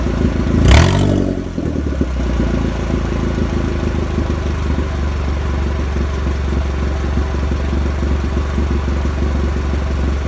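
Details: Mazda Protege turbo build with the O2 sensor unplugged, the cat not connected and a minor oil leak. A short crank catches and flares, then settles into a steady low rumbling idle with no hunting or misses.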